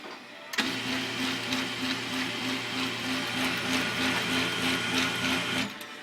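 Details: HP LaserJet P2055 printing with a loud, droning hum and a rhythmic throb about three times a second; the noise remains after a fuser overhaul with new film, bushings and rubber roller, plus a gearbox and fuser drive check.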